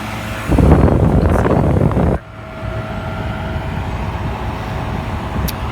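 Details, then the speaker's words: Philco Noisless 6800 BTU air conditioner from the 1960s–70s, with its compressor running. A heavy rumble settles into a steady hum with no knocking. The back is already hot and it has a full refrigerant charge, so normal running. "It sounds incredible. It's running good."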